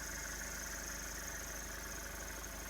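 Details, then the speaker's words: Toyota 1KZ-TE diesel (Hiace/Hilux) at idle after cylinder two misfire fixed by machining the valve shim 0.3 mm to restore valve clearance; steady even low beat, now running on all four cylinders. "and you can see it's now running on all four cylinders"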